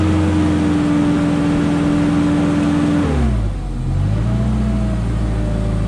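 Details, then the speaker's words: Genie S40 boom lift's Ford LRG 425 engine after timing belt and tensioner replacement: even, steady drone with a smooth dip and recovery in speed, no misses, knocks or ticks; starts easily and runs smoothly, so timing is right. "If our timing is off, it'd be hard cranking or starting, but it sounds smooth."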